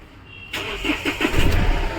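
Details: Mahindra Xylo diesel with a crank-no-start, cam sensor code P0340 and faulty injector wiring, after the repair and code clearing: brief cranking, then it catches promptly and settles into a steady idle; normal start.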